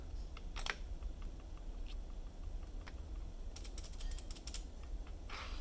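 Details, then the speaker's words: Homemade magnetically stabilized keyboard spacebar compared with a regular Cherry stabilizer: loose, clattery clicks and rattle from the sloppy Cherry-style spacebar stabilizer, which feels mushy and fails to register spaces. "But that's the difference right there between my stabilizer and a regular cherry one. Hear that rattle?"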